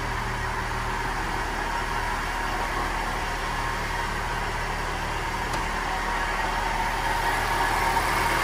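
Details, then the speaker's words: Chevrolet Celta, 157,000 km, idling: steady rough roar like a bad bearing, louder when the engine warms up; teardown confirmed the A/C compressor bearing is very bad and worsening. "de fato o rolamento do compressor do ar-condicionado está está ruim na verdade está muito ruim"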